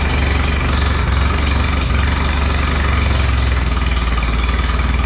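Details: Allis Chalmers B tractor gas engine, running after a long repair, with oil pressure. An even low putt at about 200 beats a minute, holding steady with no misses or stumbles. Normal, clean idle.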